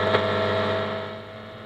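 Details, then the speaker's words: 1950s Ferranti A1016 valve radio, brought up slowly on a variac to about 240 V, speaker output: steady low even mains hum under faint set noise; owner attributes it to old capacitors, not confirmed. "there's bit of hum and the hum I would attribute to old capacitors"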